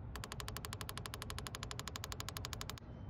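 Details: Volvo 240 with ignition on and engine off, during the self-diagnostic box output test on port 2: a rapid, even train of sharp clicks, about ten a second, as each fuel injector fires normally, before the idle air control valve test.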